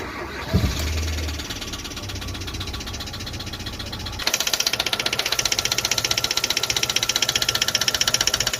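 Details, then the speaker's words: Hyundai/Kia i20 G4FA/G4FC engine after start: steady sharp metallic tapping about four per second at idle; noise from the head, cylinder 3 dropped valve guide, oiling, chain and bottom end fine. "So the problem, it was coming from the head. The noise, it was coming from the cylinder number 3. It dropped the valve guide."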